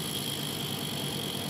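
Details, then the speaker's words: Car clutch release bearing: steady high-pitched whine with gritty hiss; bearing race worn and must be replaced, otherwise it can collapse and gears won't engage; worn clutch release bearing. "berbunyi seperti itu kalau seperti itu otomatis harus dilakukan penggantian karena di bagian ini kaning sudah mulai kemakan"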